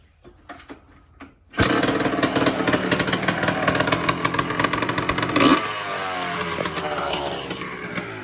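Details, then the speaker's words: 2001 Yamaha Blaster two-stroke ATV, after undoing it at the carb and at the control unit to stop bogging: fires after a few pulls and revs crisply without bogging; clearly improved, though an unblocked carb line still leaks air. "Yeah, that definitely helped."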